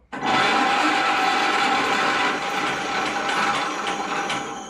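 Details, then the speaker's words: 1941 John Deere H with a new battery, both spark plugs out, in neutral, hand clutch released, cranked via the starter lever: steady even whirring spin, no knocks or scraping; engine turns over freely, compression felt, normal. "I just want to make sure things spin over nice and free. That engine sounds crisp and clean, so"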